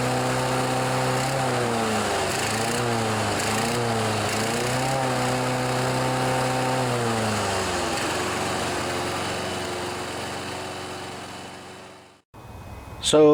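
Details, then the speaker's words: John Deere 14PB self-propelled mower, Kawasaki 5.0 hp OHV engine, sat outside long. After carburetor cleaning and rebuild (slow and main jets were plugged), the engine surges up and down, then sags and dies. Engaging the blade clutch smoothed it out, showing the carburetor was working properly. "of you might think because of that surging sound that the carburetor isn't working properly"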